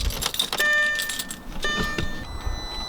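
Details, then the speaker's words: B7 Audi A4 with Stage 2 tune, accessory mode with the engine off after swapping the ECU: thin, steady high whine that comes and goes as the throttle body opens while the ECU relearns, which is normal. "so you can hear that whining and that's just the throttle body opening up and the ecu just relearning itself"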